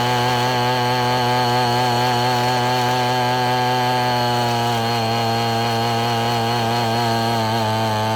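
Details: Abandoned weed eater after crimping the wrong-side fuel line so it draws only from the correct side: steady, even high two-stroke buzz holding constant speed, no surging or stumbling; running cleanly.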